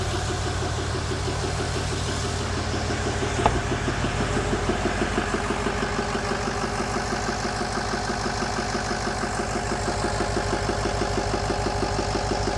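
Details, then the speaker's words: 2008 Ford E350 diesel, first start after a mostly complete rebuild, run briefly without coolant or radiator: a steady, even idle clatter with no knocks or misses; oil pressure is good and IPR is slightly high from air in the system. "Oh, that's a thing of beauty right there. We got oil pressure. Battery is running."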